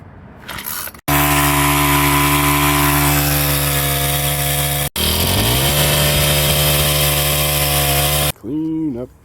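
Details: Free junkyard Troy-Bilt two-stroke cultivator/tiller after draining old gas, replacing the carburetor and fuel line and filter: fires and holds a steady high buzz, then settles to another even speed without stumbling; normal running.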